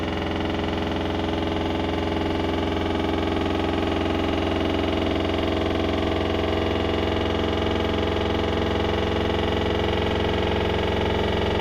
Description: Bought this November 2021 sounds like a jack hammer on 1400 spin, its level, dose not jump around , nothing external is touching it and the drum has no play in bearing.